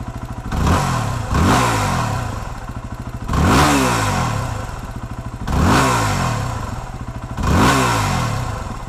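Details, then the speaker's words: 2008 Yamaha WR250R single-cylinder after replacing fuel pump and fuel pressure regulator for low fuel pressure bog: five throttle blips from idle, each rev climbing cleanly and dropping back; still slightly slow off idle. "so there you go I think this made a big difference on this bike it's still not real fast off of idle and I think that's just inherent to what a wr250 is and you have to accept that with these bikes"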